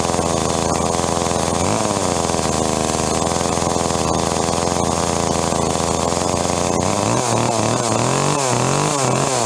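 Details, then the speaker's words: Echo CS-305 chainsaw just after carburetor replacement: fast buzzy two-stroke idle that surges and hunts, chain still spinning; low-speed jet needs adjustment. "Alright, so as you can see, the chain was still spinning and it was revving a little bit at idle, which means that the low speed jet needs to be adjusted."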